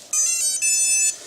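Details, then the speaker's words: Quadcopter's four flashed, calibrated ESCs powering up with Multiwii 328p board warm-up sequence: quick stepped electronic beeps then a longer held tone; normal ESC startup chime. "and all familiar sound the 328p board will go through its warm-up sequence okay so it's ready to go"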